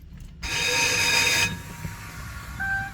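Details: 2004 GMC Duramax 2500HD diesel truck with intermittent starting: about a second of harsh high metallic grinding whir that cuts off without catching; starter not engaging flywheel, worn flywheel and starter teeth suspected.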